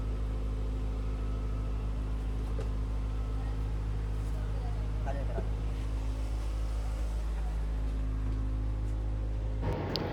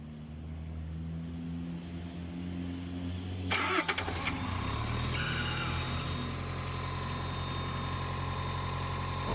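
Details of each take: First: 2023 Tata bus AC engine after clearing the EP fault and cleaning/repairing four fan motors, evaporator and condenser: a steady, even diesel drone with a firm low throb, no knocks or misses; running healthy and cooling well. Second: 2023 Tata bus AC auxiliary engine: cranks, catches and idles steadily, then automatically shuts down with EP fault; four of six condenser fans dead, one slow; shutdown from high head pressure.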